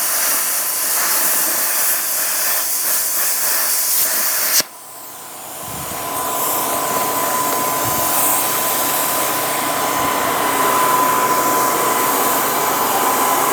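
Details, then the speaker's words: Thermodynamics plasma cutter after replacing faulty 220 V plug, test cut on scrap metal: strong even arc hiss while cutting, then steady quieter air rush; normal plasma cutting. "Alright, I'm happy with that. Seems to cut good. So we will call this good."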